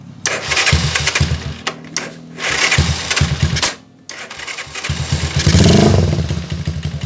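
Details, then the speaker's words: Motoboss 125 single-cylinder after the oil pump was replaced, which fixed the lack of oil reaching the head after an overhaul. It fires up and takes a few throttle blips, then settles, with oil now reaching the top end and no ticking, so it is healthy. "Wala na yung lagitik mga kamotors dahil yung lagi sumakit na."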